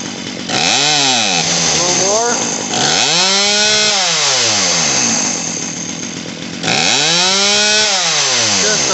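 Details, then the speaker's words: Poulan Pro PP4018 chainsaw after carburetor, fuel line and primer bulb repair: three throttle blips, whine winding up high and falling back, while the mixture screw is turned counterclockwise until it no longer bogs on trigger squeeze. "so that screw that i was talking about is going to go counterclockwise just a little bit at a time until it doesn't bog anymore when you when you squeeze the trigger"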